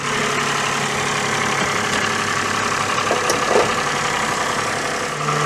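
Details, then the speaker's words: Daihatsu Sirion after replacing the noisy alternator, water pump and belt, about 700 miles since: smooth, even idle with a steady hum and no knocks, squeals or rattles; the earlier noise is gone, though the starter now doesn't disengage properly. "a new alternator down there a new water pump down there and a new belt and that has shut it up which is good"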